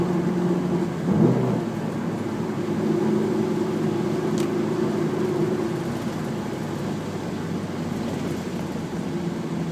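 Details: Honda S2000 engine running with a rumble, a wavering hum and a couple of brief rising swoops from the engine bay; the source of the weird noise isn't clear.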